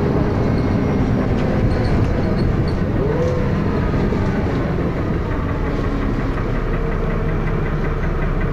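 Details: First Manchester Dennis Arrow bus P423PVW under way: loud, heavy diesel thrash with a rough knocking mixed in, steady throughout; engine knocking, cause unclear.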